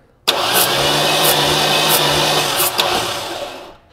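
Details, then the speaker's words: Starter cranking a 1993 Ford Mustang Foxbody 5.0 V8 during a compression test with the spark plug removed; a sharp airy puff comes from the open plug hole about every two-thirds of a second on each compression stroke; normal. "Did you hear it? Maybe you saw it. As this crosses through here, you'll get a of air out of there."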